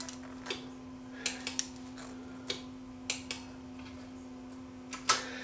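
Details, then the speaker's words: Akai AS-1080DB four-channel analog quad receiver, no sound, listened through headphones: steady low hum under scattered clicks with no program sound; all four output modules cooked, judged a lost cause. "all the modules are shot I can get some sound out of it if we put the headphones up here you'll hear there is some noise but uh"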